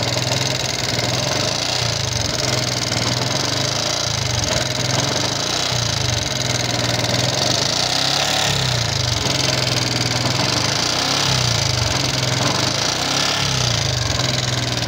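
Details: Yamaha Jupiter MX King fuel-injected single idling with rough, busy ticking rattle through a steady beat and thin smoke; owner suspects wear in piston, rings, valve seals or guides, not confirmed, before teardown.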